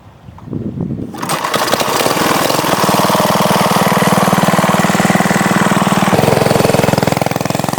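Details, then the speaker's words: Old Manco mini bike small single-cylinder, started without its broken recoil starter after sitting in a shed: pulls up from a rough start, then a steady putter with slight unevenness. Owner suspects it needs fresh gas before any carburetor work; slight hesitation. "I think it could use some fresh gas. It's got a little hesitation to it, but I wouldn't do anything to the carburetor before I put fresh gas in it."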